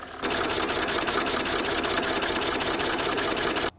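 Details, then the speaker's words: 1980s–90s Mercedes OM60x diesel (non-adjustable valves) at idle, camera close to the engine. A rapid, sharp, high metallic ticking sits constantly over the idle, suggesting a noisy valve train or lifter. The cause is suspected but not confirmed. "you know I've got a really bad ticking noise in that engine and I think it's probably a valve you know it's that really high metallic clicking"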